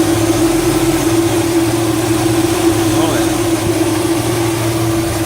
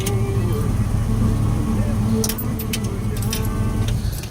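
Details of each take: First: LS-swapped 1967 Chevrolet Bel Air with upgraded electric cooling fans from a 3rd/4th-gen F-body LT1, only one fan running at idle: constant, steady mid-pitched hum with no rub or wobble, moving plenty of air; normal fan operation. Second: Two dual 12-inch electric cooling fans from a 3rd/4th-gen F-body LT1, fitted to an LS-swapped 1967 Bel Air, spin with a steady low hum and faint whirring whine; motor bearings wearing out, being replaced with new slimmer fans.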